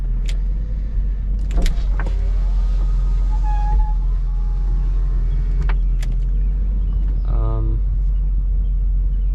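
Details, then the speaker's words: 1983 Mercedes 500SEC: short, even motor hum as the rear power window rolls up smoothly; windows not slow. Front windows greased, rear not; operation normal. "You see they're not that slow. I think they're okay."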